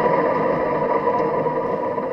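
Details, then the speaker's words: Toro Z4200 Timecutter zero-turn mower deck, spindle spun by hand: steady gritty whir with rough edge instead of smooth spin; spindle bearing worn out, even worse on second one, parts to be replaced. "Puis écoutez bien les bearings à cette heure. Ça, c'est fini. Puis elle est encore pire."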